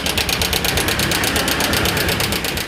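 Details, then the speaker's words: Honda Karisma motorcycle idling with a harsh, fast metallic clatter like a diesel: slack cam chain from a worn cam chain tensioner. "rikan pengenalan tentang perbedaan suara tonjokan keteng ataupun Tensioner keteng dan juga rantai ketengnya dan disini adalah motornya motor Karisma yah dengan suaranya itu Kasar banget ya ini kalau dihidupkan tuh suaranya erek-erek gitu ya"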